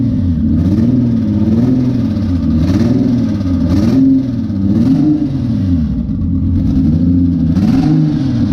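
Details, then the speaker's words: Freshly built twin-turbo Honda J35 at its first start, throttle worked by hand: lumpy, uneven stumbling revs, missing on a couple of cylinders; an injector problem is suspected. "all right well sounds like it's missing on a couple holes I probably got some injector issues"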